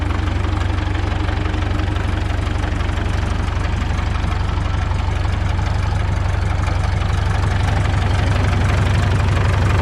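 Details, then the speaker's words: 1952 Caterpillar D2 crawler's pony motor revived on a temporary fuel tank with fresh fuel hose, idling and turning the diesel over: slow, even, deep thumping idle with no knocks or misses; steering clutches still frozen. "well the steering clutches are still frozen but it's nice to hear it run again"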